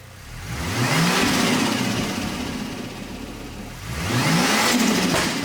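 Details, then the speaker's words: Ford FG Falcon XR6 Turbo after fitting a turbo-side intake with battery relocation, intake muffler and piping removed: two clean rev sweeps with loud induction rush, no knocks or rattles; healthy. "It should sound very dosey because you're going to get so much more air intake sound because we've taken that massive muffler out and all that piping out."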